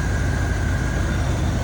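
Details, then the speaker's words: 1992 Ford F-150 with E4OD automatic, cold start after new thermostat, PCV valve and breather; steady, even low rumble with a faint constant whistle, no misses, idling down smoothly. Normal idle. "wow that is incredibly smooth that is running so well sounds good"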